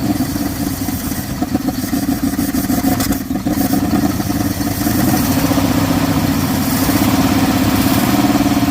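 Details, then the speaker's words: 1979 Dodge truck that sat over 10 years, first idle with the alternator charging: uneven galloping idle with an irregular miss in the exhaust, a dead cylinder; earlier there was a backfire, a tick, and a bad internal clanking bang when revved. "It's finally idling a little bit. You hear a gallop and a miss. You hear the exhaust, you can hear the miss. It's pretty bad. So it's got a dead hole."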